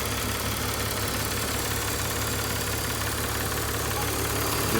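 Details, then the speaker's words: 2005 BMW 330i ZHP back running after sitting 15 months, oil changed, air meter clips refitted: quiet, steady idle with an even hum, no ticking or knocking, temperatures good, oil cooler not leaking; normal idle. "ran it around as you can hear it's nice and quiet temperatures doing great no more ticking"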